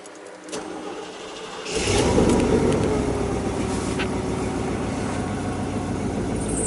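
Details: 1996 Chevy K1500 4WD 5.0 V8, running after a no-start traced to an empty tank and a faulty Schrader valve on the fuel rail: it catches after about two seconds and settles to a steady, even idle. Normal running; cam retard reads about -41.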